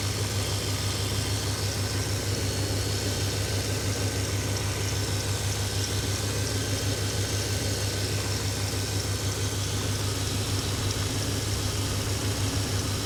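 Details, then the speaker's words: 1995 GMC after distributor replacement and scratch testing for no spark and no injector pulse, with ignition timing set to 0°: steady, even low idle with a smooth unbroken hum and no knocks or misses; runs nice, quiet and clean. "so all in all it runs really good it's nice and quiet it's running clean"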